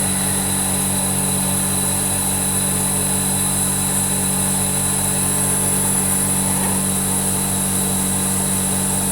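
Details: Zanotti refrigeration unit after replacing and brazing capillary, previously icing only top third of coil; steady even compressor and fan drone, no knocks; cooling much better though not fully 100 percent.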